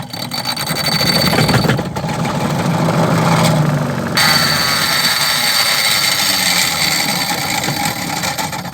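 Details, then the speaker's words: Mabe 12 lb twin-tub washing machine spin motor: rough scraping rasp over motor hum, catching and dragging as it spins; motor binding, suspected bushings or loose springs, not confirmed; motor noise and binding. "el problema de ella tenemos es que el motor de centrifugado está como fallando está como trabando se tiene hace un movimiento feo"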